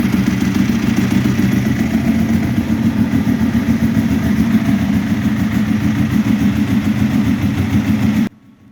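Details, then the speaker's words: Ducati 1198 twin after cleaning corroded starter cables, battery at 12.5 V: fires straight away and settles into a steady, even, lumpy twin-cylinder idle; intermittent no-start fixed, normal idle. "Let's give it a go. Yeah, brilliant, much better. Straight away."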